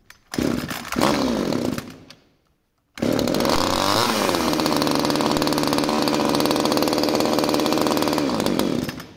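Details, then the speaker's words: Subscriber's pruning chainsaw after carburettor work and straightening the fuel tank inlet line: fires, runs briefly and dies by itself on full choke, then restarts holding a steady high buzz; stalling on choke is a good sign, it didn't before. "Ahora cuando he tirado del estrangulador ya ella no se ha mantenido con el aire cerrado directamente se ha apagado"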